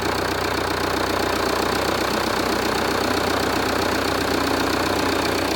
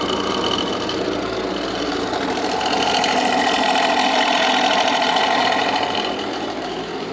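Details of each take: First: Jeep Renegade 2.0 MultiJet diesel after repair of a deep droning engine noise: even idle with steady light clatter, about four beats a second, droning gone; sounds normal. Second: Jeep Renegade 2.0 MultiJet diesel at idle: steady regular clock-clock knock about three times a second, seeming to come from the accessory belts; engine knocking noise, cause not yet confirmed, belt removal test next.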